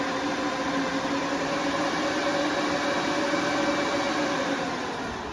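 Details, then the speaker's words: Mini ASIC crypto miners (AL and KA boxes) in an end-table enclosure at power-on: loud, steady fan roar with a whirring tone that eases off near the end. Normal fan spin-up. "You can hear the fan spinning up."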